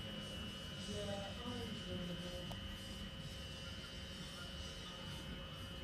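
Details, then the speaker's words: Early first-generation Polytone Mini Brute guitar amp: after switch-on, steady hiss with a thin high whine and occasional crackle, usually once warmed up, from a noisy obsolete RC4739 op-amp IC. "this amp when turned on will start giving a hiss and a crackle which uh you'll hopefully hear in just a moment"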